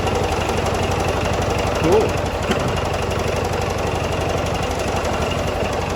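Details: 1979 John Deere 214 tractor, restarted after reassembly following months of sitting: steady, even single-cylinder putter with a fast regular beat and no knocks or misses; runs fine.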